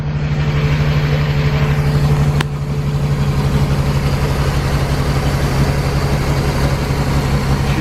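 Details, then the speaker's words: 1999 Regal 1800 SLR ski boat, 4.3 GL V6 MerCruiser inboard with SX outdrive, sitting 12 months on a farm, first start on a new battery: steady, even low pulsing idle with no misses or knocks; sounds okay. "running all it's not looking great that but it sounds okay"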